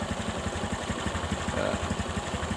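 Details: Honda Supra 125 carbureted motorcycle, warm engine, idling with a steady thump and a dry metallic rattle on each beat. The rough noise comes and goes when hot and is traced to the balancer bearing.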